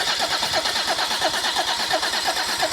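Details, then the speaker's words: Rebuilt Mercedes OM606 diesel cranked to prime the oil system after the filter housing was filled: even, steady whirring crank, about three pulses a second, no stumbles or clunks; the gauge on the oil cooler return line soon registers oil pressure. "So that you've just seen, as soon as it flicked to the 0 mark, that means it's starting to register oil pressure."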